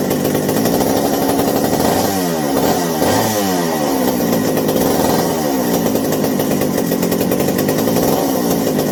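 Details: McCulloch 790 chainsaw after new 090 carburetor, replacement spark plug and idle turned down: clean rising revs that settle steadily between blips; running properly, though binding throttle linkage won't close fully, so throttle is held.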